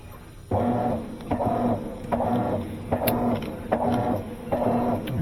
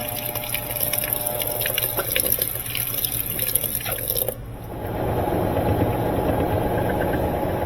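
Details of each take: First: Maytag top-load washer that agitates but won't spin: agitator surges back and forth about seventy-five strokes a minute with a humming, uneven drive note; stripped tub hub, not the transmission. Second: Maytag top-load washer after repair, previously said to have a bad transmission: water splashing, then a steady pump hum as the tub drains, with no grinding or banging. Normal drain and pump.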